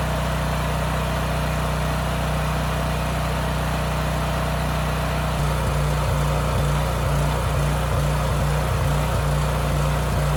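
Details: Homelite generator with Mikuni carburetor after carburetor cleaning, speed raised to about 61.5 Hz at no load, running under a 3000 W load: an even, unwavering drone with no surging. The governor holds the throttle steady and the earlier hunting is gone.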